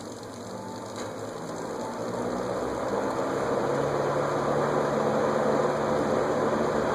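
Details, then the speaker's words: Air King 20" box fan with completely stuck sealed, permanently lubricated bearings freed by spraying WD-40, drawing 2.88 A, bearings still not ideal: low steady motor hum rising slightly as it spins up, no scraping or squeal; fan turning freely. "2.88 amps I'm spraying wd-40 everywhere bearing still we're not ideal"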